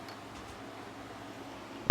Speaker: What you can hear is when it hits it, you'll hear you'll hear a click when the trim stopper hits it.